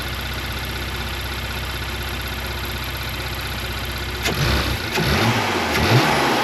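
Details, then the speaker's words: Porsche Macan after PCV valve replacement, idled 4–5 minutes then throttle blips: steady even idle, revs rise and fall cleanly with no tea-kettle whistle; the fix worked. Normal idle and revving. "All right, seems like it worked, guys. So the expensive tea kettle is gone, and I'm super happy for that."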